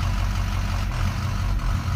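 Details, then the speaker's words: Auction diesel truck at full operating temperature: heavy idle with a deep drone that stumbles and dips unevenly every second or so, a misfire that appears with the lights off and goes away with them on; cause unconfirmed. "Okay, I don't know if you can hear the engine, but watch when I shut the lights off. Granted, we haven't sent off the cluster yet. Watch this. Hear it missing?"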